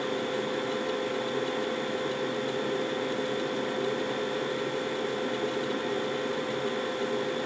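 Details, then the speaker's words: Carrier 92% efficient condensing natural gas furnace, first floor, two zones: very loud burners just after start-up, a steady even roar with a faint high hiss, no pulsing or knocking, before the blower kicks in; normal burner operation. "you see what I mean very very loud burners okay and I think the blower just turned on"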